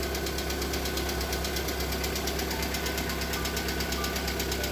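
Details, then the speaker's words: Lada Priora with a 126 engine, cold start running on flushing oil after about two minutes: loud, fast, even hydraulic lifter ticking over the idle. The ticking stopped after about five minutes. "короче поработала наверное минуту-две всего гидрики заскучали вообще жестко"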